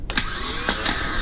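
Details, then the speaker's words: 1983 Ford Mustang no-crank troubleshooting, starter bench-tested with negative on a mounting point and positive touched to the terminal; short whirring spin after a sharp click, free and even, no grinding. Starter motor is good. "it's spinning. So guess what? We know that we're good to go. This starter's good."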